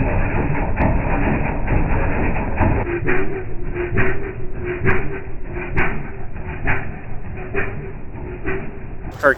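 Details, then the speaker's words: Roadside-rescued, rehabbed Toro S-200 snowblower, started on a six-year-old battery, first test after a speed burst: rough running with a sharp knock about once a second over the exhaust rumble; cause of the knock unknown. "Mike from Germany if you're watching turn your volume down for a second it's time to listen to some knocking and slow motion"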